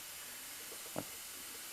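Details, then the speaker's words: 1989 Honda Prelude A/C system under air pressure test: quiet, steady high-pitched hiss with one brief bump, traced to the receiver-dryer not correctly hooked up and its fitting left untightened; air leak at A/C fitting. "I'm hearing hissing but is that coming from the system or is that coming from the"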